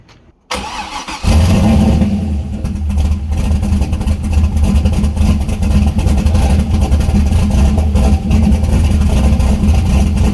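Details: Turbo LS-swapped Miata at first start with a newly made downpipe, no O2 sensor bung fitted yet: a loud, deep, uneven loping idle with raw exhaust bark and smoke, running unhappy without its oxygen sensor.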